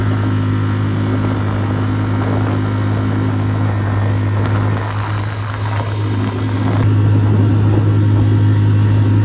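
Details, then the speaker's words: Tohatsu 3.5 outboard on West Marine PRU-3 inflatable: previously surged and ventilated trying to plane. Now, at full throttle with an aluminium prop replacing the factory plastic one, a steady even high drone without surging; problem solved. "so it's a dramatic improvement it's fine now 30 prop on amazon totally solved the problem"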